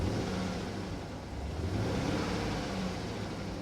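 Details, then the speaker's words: Repossessed Chevrolet Tahoe V8 at auction: low, lumpy idle with an uneven stumbling beat that never settles, running awful, likely misfiring; the transmission also has no forward gears and a whining pump; cause unconfirmed. "she runs awful"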